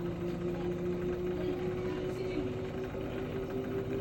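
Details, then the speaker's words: Samsung 6 kg washing machine spinning at 1,400 rpm after repair with new bearings, spider, seal and parts: steady even motor hum with a clear mid-pitched tone, running smoothly and healthy. "right now you can see it's working"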